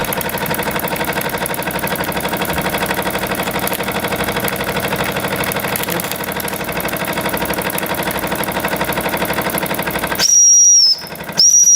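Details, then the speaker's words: Jensen 76 model steam engine on dry fuel after rebuild: fast, even chuffing with a steady steam hiss, running smoothly under pressure. The run lasts much longer than before the repair. "So then you just let it puff away for So as you can tell from the clip earlier, this is lasting a lot longer than it did before."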